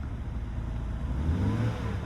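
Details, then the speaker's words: BMW with a no-start problem, fixed by replacing the CAS (car access system) sensor: starts and settles into a smooth, even low rumble with steady firing and no misses, knocks or stumbles; normal idle. "And it started. There's absolutely no way. Listen to this. And it runs smooth."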